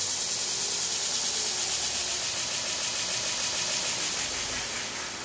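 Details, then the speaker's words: Chinese knife maker's belt grinder bought on Amazon, after replacing the exploded inverter (owner suspects dust killed it): motor cooling fan runs hard and sucks air in, steady airy whir with strong fan hiss and even speed, no grinding or knocking; normal running. "tell you that little motor fan really uh runs hard and i can feel it sucks air in"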